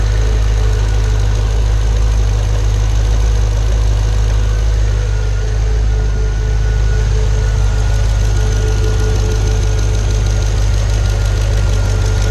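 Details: Pontiac G8 GT, L76 V8 with AFM/DoD, second lifter failure at about 66,000 miles (first at 44k): steady idle with a light, quick ticking keeping pace with the engine, a collapsed AFM lifter.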